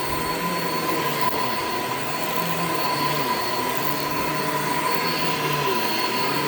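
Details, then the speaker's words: Shark Infinity Pet Care vacuum with a very old brush roll belt, brush roll stopping repeatedly: a steady thin high squeal over the motor's rushing drone. The worn, slipping belt needs replacing. "all right so as you could hear the belt on this is like pretty much shot like it's it's really old clearly needs to be replaced"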